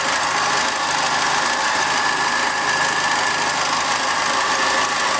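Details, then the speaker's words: Second-hand Triumph Dolomite 1300 engine in a Gentry MG TF Replica, warming up after first start following engine change: steady even idle with a smooth hiss, no knocks or misses; spilled oil mostly burned off, sounds really sweet, normal. "Okay, she's warming up nicely now. Most of that oil is burned off. Sounds really sweet."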